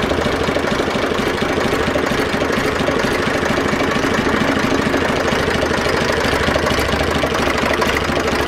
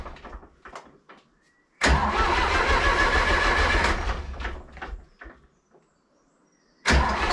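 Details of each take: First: Zetor 4911 tractor diesel, stored since 2012, restarted after coolant top-up with no leak at the cylinder head, warming up: even idle clatter, unchanging loudness, no misses or knocks; running sweetly. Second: Zetor 4911 tractor diesel, stored in a dry shed since last run 3 Oct 2012 (engine renovated just before storage), with a loose core plug at the back of the head: rapid chugging crank, catches briefly, fades, cranks again; hard starting after long storage.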